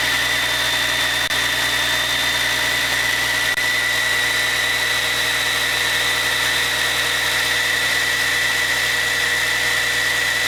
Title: Caterpillar C13 first run after overhaul - Once upon a time in WIHURI CAT